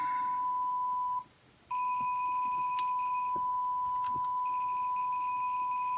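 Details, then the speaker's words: Mach 3 arcade game with Dexter laserdisc replacement board, test mode after adjusting R39: steady high beep with one short dropout. Normal decoder test tone, typical for these boards. "no that's really as good as it gets so that's that I would consider normal behavior that's that's typical for these boards and works very well in the game"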